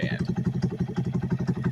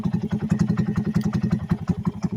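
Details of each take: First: 2020 Honda Grom with cam and upgraded injector, wideband AFR gauge feeding stock ECU in place of narrowband O2 signal: switching to wideband changes the idle to a steady, even single-cylinder thump, the way it should idle. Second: 2020 Honda Grom single at idle on stock ECU with narrowband O2 signal: lumpy, uneven thump with weak or late beats; idle changes once switched to wideband-emulated signal; rough idle attributed to the narrowband fuelling.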